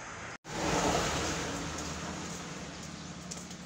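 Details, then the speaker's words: Washing machine wash motor that only hummed, after cleaning its shaft, run on its own cord: brief cut, then steady strong hum with airy whoosh, no stalling; running normally before reverse test. "Yun, ang lakas. So i-reverse natin. Titingnan natin kung kaya niya mag-reverse."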